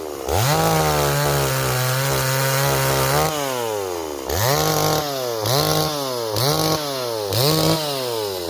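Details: Stihl 026 chainsaw, returned by its owner as a no-start and repaired, cutting wood; screams at full throttle, bogs briefly on each cut and recovers cleanly every time: strong, healthy cutting.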